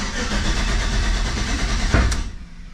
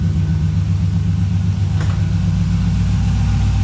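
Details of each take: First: 1985 Chevrolet C10 with 5.3 LS swap, cold start, fuel pressure about 60: rough crank, a sharp single pop, then it catches and settles near 700 rpm; backfire on cold start, also stumbles and backfires under load. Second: 1985 Chevy C10 with a swapped 5.3 LS, which stumbles and backfires under load, idling cold at about 700 rpm with fuel pressure around 60; a deep, steady low rumble with an even beat and no miss: smooth idle.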